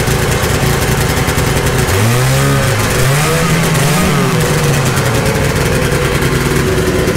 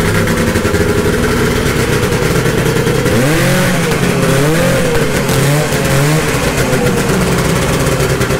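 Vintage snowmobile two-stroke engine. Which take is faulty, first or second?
first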